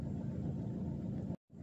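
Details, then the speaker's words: Saab 9-3 with Z19 DTH diesel engine, warm, idling evenly with no stumble after replacing the crankshaft sensor for code P0335, which had caused stuttering, rough idle and hesitation; low even rumble. "So she's up to temperature and she's idling quite contently."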